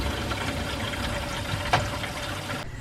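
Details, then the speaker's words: Skoolie bus conversion's fresh water tank filling through blue PEX and a filter, with the pump not yet on: a steady, even rush of flowing water with no spitting or hissing. Normal water flow. "you can hear the water flowing which is a good sign just can't see anything"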